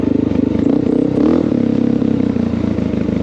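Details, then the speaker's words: Honda XR650L 644cc air-cooled single, decelerating off fairly high rpm down a steep hill: smooth compression engine braking with only slight popping, indicating carb jetting not lean; normal deceleration without backfire popping. "do you hear how you just hear compression from the engine see here a little bit but there's not much there see all that is compression holding me back"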